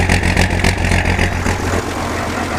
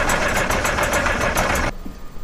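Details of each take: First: Massey Ferguson 860 combine, Perkins 354 six-cylinder turbo diesel, first run after six years once fuel reached injectors: settles into steady even clatter with no stumbling or missing; normal healthy running. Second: Massey Ferguson 860 combine, Perkins 354 six-cylinder turbo diesel, sat six years, priming fuel system with electric pump and ether: fast even cranking about eight pulses a second, doesn't catch, stops under two seconds; hard start, unprimed fuel.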